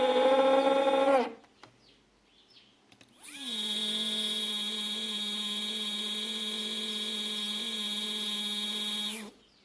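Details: Two 3D printer stepper motors wired in parallel at 4 A peak, feed rate 2000: loud steady high-pitched whine with a harsh edge at constant pitch; noisy motors, cause unclear, back EMF or one motor disturbing the controller suspected.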